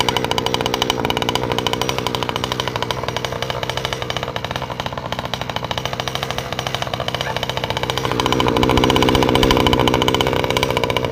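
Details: Newly installed 49cc two-stroke ATV engine test run: fast, even popping that swells slightly as the throttle opens, with no misses or knocks; runs healthy.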